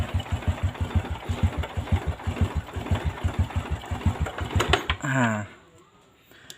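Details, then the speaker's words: Honda Revo Fit after replacing the slack cam chain that had damaged the block: small single settles to an even, steady low putter with no top-end rattle; normal idle after repair. "Oke Lur ini udah halus lagi ya"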